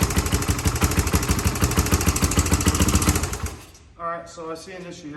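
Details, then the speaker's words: Rebuilt Honda 350X three-wheeler at first start: a sharp regular tick on each firing pulse, about three per second, then it dies away. Owner suspects the decompression cam or valve clearance needs adjusting. "we're gonna have to adjust either this or the valve clearance because uh you can see it here it's like this decompression cam's clicking"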